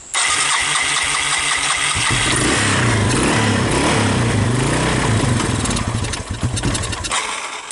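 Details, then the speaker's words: 1985 Yamaha DX225 ATC three-wheeler, after fixing an electrical fault, choke on: steady starter churning about four beats a second, never firing; cranks but won't start, suspected not getting fuel despite fuel in the carburetor. "So, um, you heard me cranking it and she she wouldn't fire up."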